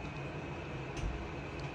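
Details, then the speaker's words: 110 CFM, 0.9-sone bathroom exhaust fan, motor coated in grease and oil, housing held up with tape; steady loud motor drone with low hum and faint ticking, owner suspects bad motor bearings, not confirmed. "So, is the motor bad? Like, do you think the bearings are bad? Cuz it should not make this fucking loud noise."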